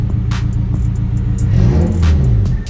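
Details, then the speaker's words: 2009 Honda Civic Si with newly installed CX turbo kit, not yet tuned: smooth revs rising and falling, no misses or rattles, no check engine light; normal revving. "No check engine. No check engine. What's that smell? Is that rich? It's your exhaust scrap."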